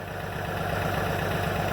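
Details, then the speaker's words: 706 tractor with D436 diesel, first start in months at about 40°F, warmed up: steady even clatter at idle with smooth low throb, no misses or knocks, barely smoking; normal idle. "I tell you, the tractor sounds good, barely smoking, but mice."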